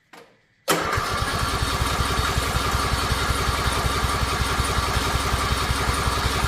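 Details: Riding mower with choke on cranks in a steady, even chug that never catches; acts like it wants to start but won't, and stops when the key is released; cause unknown.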